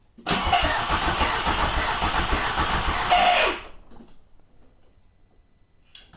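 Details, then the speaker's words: Nissan Micra with Audi/VW 1.8 20V turbo engine swap, first start attempt, fuel pump relay disconnected: about three seconds of brisk regular cranking with no firing; no spark, owner suspects bad harness ground. "no there's just no spark there at all is there okay so no spark that's certainly not going to help"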